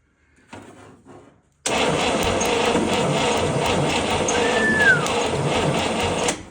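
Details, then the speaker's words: 1960s International Scout 800 Aristocrat with a freed previously stuck engine, after checking engine ground, with spark on the test light: quiet lead-in then steady rhythmic churn about four beats a second as it turns over without firing; trying but not starting. "It's trying."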